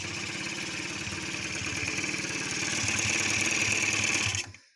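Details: Honda Giorno 50cc scooter (39 mm bore) that wouldn't start from low compression, now running after a new cylinder and ring, no throttle: small two-stroke idling at an even buzzy rhythm; healthy idle with a faint pop, owner suspects slight air leak needing new gasket.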